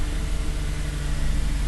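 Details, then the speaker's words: 2000 Toyota Sienna 3.0L V6 idling just after fuel filter replacement, checking for leaks: smooth, steady low hum with no misses, stumbles or ticks; normal idle. "oh yeah running good now let's see if it's leaking"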